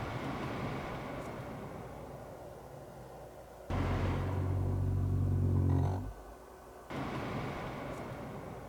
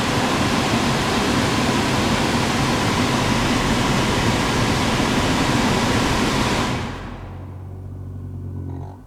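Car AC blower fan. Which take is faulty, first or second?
second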